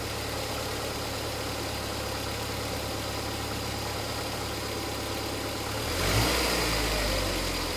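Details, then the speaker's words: Ford engine just after fitting new plugs, leads and coil pack: smooth even idle with a steady low beat, then a clean quick rise in revs on a blip; normal idle and rev after ignition service. "Oh. There you have it. A lovely a lovely running engine."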